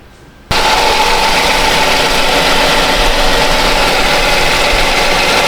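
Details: 2019 Kia Sedona 3.3 V6, about 70,000 miles, after oil leak fix and oil refill: engine catches and settles into a steady, even hum, no knocking or ticking; healthy idle.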